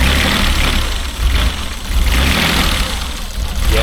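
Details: Mazda Bongo 2.5 V6 at idle after new fuel filter, O2 sensor and electrical parts; lumpy, uneven idle with an irregular stumble, misfire still present, owner suspects blocked fuel injectors, cause not confirmed.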